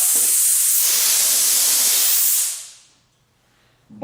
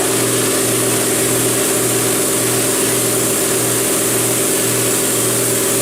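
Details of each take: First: New Ingersoll Rand 20-gallon Garage Mate air compressor on its first run: the tank drain valve below was left open after factory testing, so a loud, steady high-pitched hiss of escaping air is heard. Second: New Ingersoll Rand 20-gallon Garage Mate air compressor on its first run after unboxing, tank drain ball valve found open; smooth, quiet low hum with a steady throb and no knocks or rattles, then winds down.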